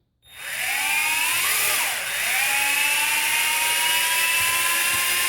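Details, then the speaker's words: Tarantula X6 drone after replacing all eight brass prop bushings with bearings, top and bottom: several motors wind up together into a high, smooth, steady whine with no rattle; sounds about the same as before. Normal motor spin-up. "Initially, I'm going to say it does sound about the same. I don't know if it's going to have less effort required on the stick to elevate."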